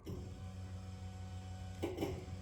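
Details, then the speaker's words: Newly installed fuel system with Wix filter and regulator, first pressure test with the pump wired directly, bypassing the relay: quiet, even low hum with no rattles or surging, fuel heard returning to the tank, no leaks; electric fuel pump running normally. "There it is. Woo, no fuel right here. I have fuel. I hear fuel."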